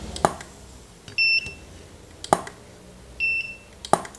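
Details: Godox SK400 II studio strobe after repair of E3 error and weak power: sharp pop, then about a second later a short high recharge beep, repeating every two seconds at rising power; normal flash firing and recycle beep.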